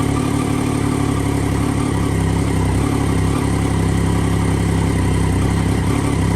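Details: 2009 Triumph Daytona 675 triple, salvage-auction crash write-off being rebuilt, in neutral after an unplugged connection was sorted, fires straight up: steady, even mid-pitched idle with no misses or knocks; runs clean, normal idle.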